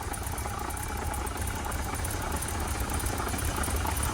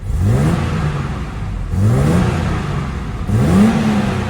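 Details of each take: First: Barn-find BMW 635 CSI that cut out on starting; now runs and revs, fuel pressure reads correct, but idle is still rough, lumpy and uneven with irregular pulses; a leaking fuel pressure regulator is suspected. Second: Barn-find BMW 635 CSi after fuel-system work restored throttle response: three crisp revs rising and dropping back quickly with no hesitation; it revs cleanly now, though idle is still rough and a fuel leak is suspected.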